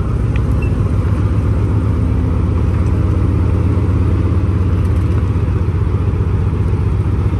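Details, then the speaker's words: 1943 M4A1 Sherman tank, 9-cylinder radial, just cranked and started out of gear after accelerator pumps, oil pressure coming up; deep steady rumble with even firing beat holding speed, running healthy. "Here we go. Lovely. And you've got your prop shaft, your gearbox and the engine, and that's the driveline basically."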